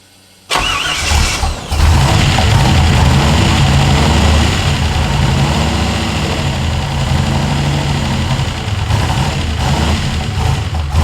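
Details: Ford F100 truck with turbo LS1 V8 swap, restarted at first start after initially idling well: cranks, catches, then an uneven, lumpy, wavering idle. It runs rough; the owner suspects a vacuum leak or tuning, unconfirmed.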